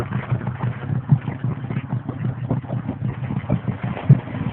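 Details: 1987 Mazda 929 LX, 2.2 inline-four with double-barrel carburetor, no catalytic converter: uneven rough idle with occasional sharp exhaust pops about every second or two; backfire from a bad exhaust leak before the first muffler.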